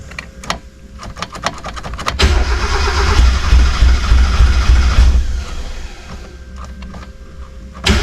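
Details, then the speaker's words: 1991 Mazda Miata, reportedly knocking when parked, after fresh gas: steady cranking about three beats a second, catches briefly but never runs; fuel starvation. "okay guys uh well it turns out we weren't getting enough fuel so me we're getting fuel up here"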